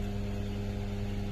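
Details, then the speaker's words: 2004 GMC Envoy XUV convertible power roof after replacement roof module and relearn: steady low motor drone, no grinding, clicking or straining, chime at fully open; roof operating normally. "the roof is opening you do hold it till it's all the way in the open position and once it reaches that fully open position you'll hear one more chime"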